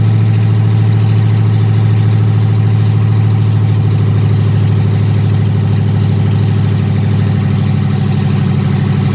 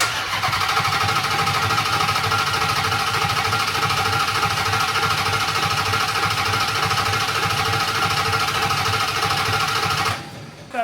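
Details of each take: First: Dodge Hellcat Magnum supercharged V8 after TCM repair and new fuel line, idling on open headers with no exhaust: loud steady low drone, even beat, no knocks or rattles; clean healthy idle. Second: Dodge Hellcat Magnum engine, sat about 6 months, cranked with fuel pump unplugged to prime oil and dry oil cooler: steady starter beat about three pulses a second with hard knocking edge; sounded like rod knock, not present before, unconfirmed.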